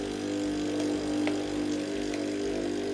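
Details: Saeco PicoBaristo SM5478 with alternating E03/E04 errors, after a drive/brewer repair, running a hot-water test. Even steady pump buzz with a slight rhythmic pulse and no sputter or air gurgle, as the air has cleared from the circuit. Normal pump operation.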